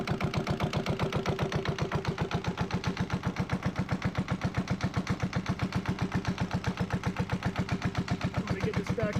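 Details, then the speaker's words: Sailboat's Yanmar 1GM single-cylinder marine diesel running on a wood pallet with cooling water flowing: a slow, even thump near four beats a second with no knocks or misses; healthy idle. "thank goodness that I've got it running um and it's not bouncing around nearly as much as I thought it would too"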